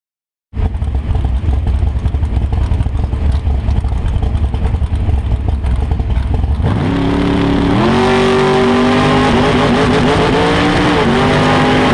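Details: Big-block Chevy 565ci V8 idling rough and lumpy, stumbling unevenly, then revving up; a cylinder misfiring from a failed ignition coil.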